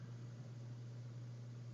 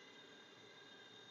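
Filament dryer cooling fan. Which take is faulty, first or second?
second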